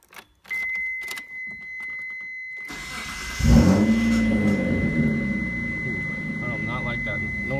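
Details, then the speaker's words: Mitsubishi 3000GT (GTO) started after an oil change: brief rough crank with nasty uneven clicking from the starter before the engine catches and settles to a steady idle; starter needs replacing. "I definitely need a new starter because it's making some nasty clicking noise."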